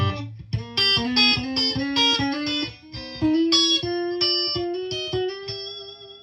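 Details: Marshall JCM2000 DSL50 tube guitar amp after the faulty noisy tubes were replaced, post-service sample: clean, full notes with no hum, crackle or dropouts. The amp sounds healthy.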